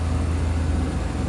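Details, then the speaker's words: 1995 Hummer H1 with a 350 gasoline V8, 41,550 miles, idling indoors: a low, even burble without misses, ticks or knocks; it runs smooth with no leaks. "let's see uh fire it up runs good it's actually pretty smooth there's no noxious emissions coming off of it"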